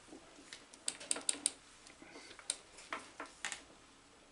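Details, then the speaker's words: Atlas 7B shaper, refurbished cross feed mechanism cranked by hand: sharp light clicks in small bursts as the ratchet advances the feed on the backstroke; ratchet indexing cleanly, mechanism appears set right. "then as we move backwards on the backstroke we advance the feed and then forward again you'll hear the ratchet as we move forward on the cup back on the backstroke with the with the advance of cut and forward again"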